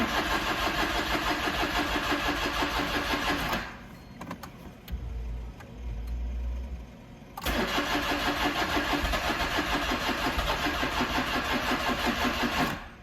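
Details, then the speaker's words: Smart Fortwo with electronic fuel injection, cold after a 15-degree night, battery on charger: starter cranks evenly about three turns a second, pauses, cranks again, tries to fire but never catches; crank no-start from faulty coolant temperature sensor. "you can hear it tries to fire but nothing"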